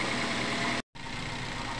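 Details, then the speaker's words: Toyota Avanza, warmed up after a service for shaking and unstable idle: a smooth, even idle with no shake or stumble, one brief cut. The earlier roughness sounded like a dead plug or coil but was a dirty throttle body. "ini teman-teman sudah kita panas dari tadi ya untuk mesinnya sudah stabil tidak terlalu kemar seperti tadi ya"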